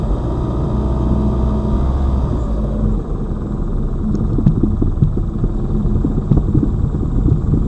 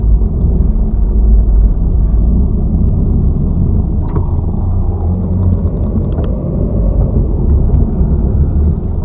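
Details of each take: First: Lada Vesta Cross, old original right front strut (only the left was replaced under warranty), dashcam aimed at the right strut mount, mount wrapped in rags to isolate the sound, driving over bumps: dull irregular thuds over road rumble; the strong knock remains. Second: Lada Vesta Cross left front strut (SAAZ), replaced under warranty yesterday, camera aimed at strut mount while driving over bumps: low road rumble with a few faint soft thuds, no sharp knock; normal. Old right strut still knocks.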